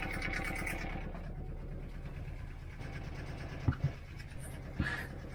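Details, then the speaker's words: Boat diesel, first start in years on roughly 10-year-old, biodiesel-smelling fuel: low, steady idle chug with even beat and a couple of nearby handling knocks; no leaks, temperature rising, oil pressure present, running cleanly. "Temperature's coming up. Got oil pressure."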